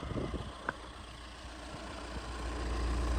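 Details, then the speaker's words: Budget overlander car, first start: engine settles into an even, steady idle with no dual mass flywheel rattle or knock; sounds healthy, as it should. "Oh, first turn of the key, and listen to it. It just sounds like exactly how it should. Normally you get dual mass flywheel rattle or whatever it might be."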